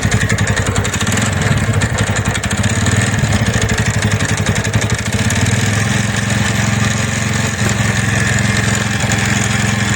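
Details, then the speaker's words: TVS Ntorq scooter idling with a fast, uneven rattle over the engine beat from the magneto side, caused by a loose flywheel (magnet) nut; the fix is to tighten and lock the nut. "ये नट बिल्कुल ढीला है तो ये नट सारे एंटोर का यही ढीला होता है तभी मैगनेट साइड से आवाज आती है"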